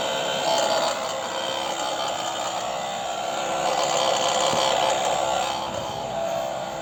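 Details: MG5 car air-conditioning compressor running: steady, loud whirring hiss with a droning tone, abnormally loud compressor noise.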